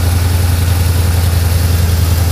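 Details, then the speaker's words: Engine idling after repairing a very bad header leak (all header bolts found loose, gasket said bad), coolant freshly mixed: smooth deep steady idle, super quiet, no ticking or puffing from manifold; normal idle. "Yes, it is running. They had a bad header leak. It's super quiet now."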